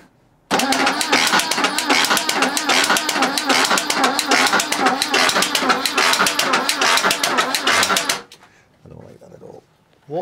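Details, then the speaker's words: Rare 1980s BMW E12 M535i, untouched for 30 years, crank attempt: fast uneven cranking with hard metallic bangs, sounding like something mechanical striking inside the cam cover; cause unknown. "on Earth I have never heard that sounds like something mechanical's banging against the inside of the camp cover there"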